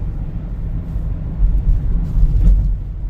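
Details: $400 Camry driven over bumps on the same road after replacing clunking suspension parts: low, even road rumble, bumps absorbed cleanly, no knocks or clunks; suspension now tight and quiet.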